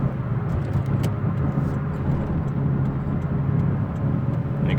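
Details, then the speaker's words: 2003 Ford F-150 4x4 heard while driving at about 30–40 mph: a steady low roar that gets louder with speed. Cause unidentified; owner suspects bearings. "it's louder as I go faster pretty annoying not really sure I mean it's a 4x4 and I'm not sure if there's anything wrong with that or it's probably all bearings I'm not sure"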